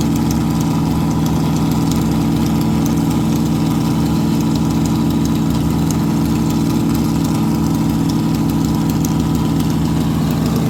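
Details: Stock 440 Mopar big block from a camper, in a Chevy K10, with the biggest cam that fits, at about 700–800 rpm idle, gauge about 175°F: lumpy V8 idle with an uneven beat that drops a firing now and then. Misfire suspected from two plug wires with bad spots, or too little rpm over the cam.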